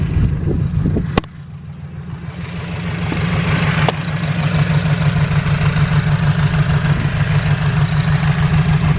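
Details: Honda Civic EG with suspected injector problems: the idle has an uneven pulsing beat about three a second that wavers instead of running smooth. A rough idle, possibly a misfire; the owner suspects injector number one is not working.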